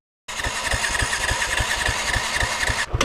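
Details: 2016 Yamaha YZ450FX or 2017 Kawasaki Z125 dirt bike, rider says it's running rough and backfiring, possibly gunked up: catches and runs with uneven low pops about three per second, lumpy and unsteady; rough running, cause unconfirmed.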